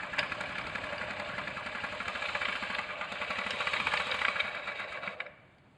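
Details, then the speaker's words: Honda Zoomer (Ruckus) 49.9cc scooter, stock exhaust refitted: weak uneven idle with fast knocking about four a second from inside the engine; lost power, stalled, idle stoppable by holding crankshaft; owner was told big end, unconfirmed. "so the noise isn't the noise isn't really coming from the front it seems to be coming from the inside of the engine"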